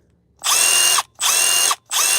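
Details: Small cordless impact driver on red lithium XC battery at about one bar charge; three even half-second bursts of rapid high-pitched hammering at steady speed: normal operation.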